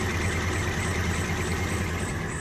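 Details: Suzuki Carry Extra with shaking engine and high fuel use, idling: deep thumps arrive unevenly with a lumpy shaking beat; suspected dead spark plug or points gap too small, one cylinder missing.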